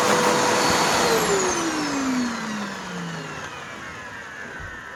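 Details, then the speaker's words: Curb-found Eureka The Boss vacuum after full refurb, first run on a used but tighter belt; smooth, even motor whine gliding down in pitch as it coasts to a stop, no grinding or belt slap; normal motor run. "yep that sounds wonderful considering it's prior abuse and age"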